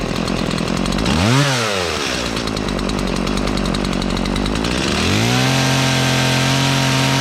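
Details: Stihl chainsaw on 50:1 gas-oil mix, just reassembled after chain sharpening and bar-and-chain refit: fires, blips up and drops back twice, then settles into a steady, even idle with no misfire or stumble; runs normally.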